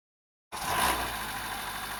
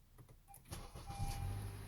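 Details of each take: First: 2013-2017 Honda Accord 2.4L Earth Dreams engine on a cold start: brief harsh rattle fading into a steady idle from the cam chain tensioner (Honda TSB 19-019); the fix is a new tensioner. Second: 2015 Honda Accord 2.4L Earth Dreams, 172,406 on the odometer, cold start after cam chain tensioner replaced per TSB 19-019: brief clicks, then smooth low rumble with no grind; rattle fixed.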